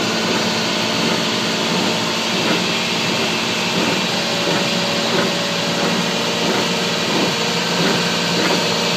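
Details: 1996 Toyota 4Runner, rough gritty grinding steadily over road noise with faint periodic pulses from the rear end; owner suspects a wheel bearing, and the rear diff fluid change showed no excess metal or teeth.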